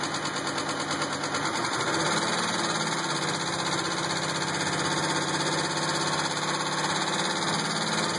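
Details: 2000 Pontiac Grand Prix GTP at idle after a cold start: a steady knock that stays consistent as RPM eases. Owner doubts a rod or the flexplate and thinks it might be a spring; source unknown.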